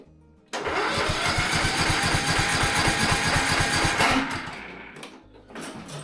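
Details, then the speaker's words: Reworked MTD Gold ride-on mower with a worn engine, not started since spring: even cranking at about two pulses a second, never firing. No spark and low compression are suspected. "It certainly sounds like there's no spark. Doesn't even sound like there's a lot of compression there either."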